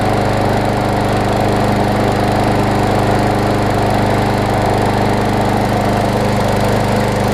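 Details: Troy-Bilt push mower with Briggs & Stratton Quantum engine, auto choke converted to primer bulb, primed and started: strong steady buzz at constant speed, no misses or bogging; running properly.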